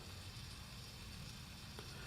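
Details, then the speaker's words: 1946 GE Model 50 tube clock radio, powered up after replacing a capacitor: faint steady gritty buzz over a low hum from the clock motor, which sounds noisy; owner suspects the gears need oiling. "see what happens you can definitely hear the clock"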